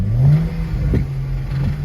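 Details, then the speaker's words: BMW 335xi M-Sport 6-speed auction car, previously flooded, just started and driven: engine revs and settles with a few sharp irregular knocks through the hum; something knocking inside the engine, cause unknown. "it looks like something is knocking inside of the engine i don't know what exactly but at least it runs"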